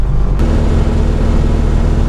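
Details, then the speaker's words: 1969 Dodge Charger big-block V8, built for high rpm, under wide-open throttle after fixing a throttle cable bracket with a slotted hole that let it pull forward, so only half the carburetor opened: deep, full roar pulling cleanly, no misses. "Ik had het direct door toen je daar gas gaf. Dat geluid heb ik nog niet gehoord! Het was ineens helemaal anders. Daarvoor is die motor gebouwd."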